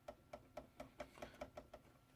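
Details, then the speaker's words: RC crawler on stock chassis at ride height: sharp light clunks about five a second as the front compresses, the front four-link truss over the axle hitting the chassis and limiting up travel; suspension bottoming clunk. "And you hear that clunking noise? That is the cross member, the truss on the front for the front forelink that goes across the top of the axle, hitting the chassis."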